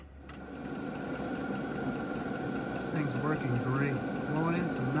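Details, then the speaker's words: 12V 8kW diesel air heater starting up: even fan rush with a soft regular fuel pump tick about twice a second as it takes a minute to kick up; normal running. "Shows you that the fan's working. It takes a little minute to get it kicked up."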